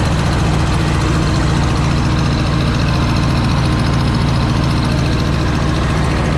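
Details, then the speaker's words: Cub Cadet Low Boy 154 tractor after new spark plugs: steady low idle with uneven, stumbling beat and dropped pulses; misfire because the two front plug wires were installed backwards. "Those 2 plug wires that I said I thought were self-explanatory weren't. I had them on backwards, the 2 front ones."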